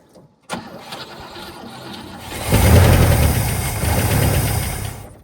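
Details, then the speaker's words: 1959 Cadillac flattop sat for years, first start, tank full: starter cranks, engine catches, stumbles, then surges to rough uneven running; fuel pump suspected not working, nothing in the glass. "I don't think the fuel pump's working."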